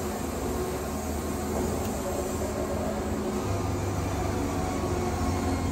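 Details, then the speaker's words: Woodmizer Super 70 sawmill after a drive pulley change, cutting a dry 13-inch-wide pallet log: a steady low engine drone sags as the blade cuts, with no belt squeal or slip, then revs back up; normal engine under cutting load. "you hear the motor bogging see how it's not slipping the belt at all"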